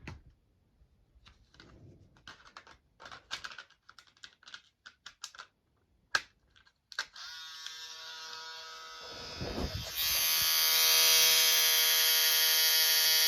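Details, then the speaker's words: Kodak disc camera with cover opened: after handling clicks, the film advance motor buzzes steadily at high pitch while the disc fails to turn; the main blue gear has come unglued from the motor shaft and slips. "yeah that's exactly what the problem is that main blue that main blue gear has become unglued from the main motor shaft"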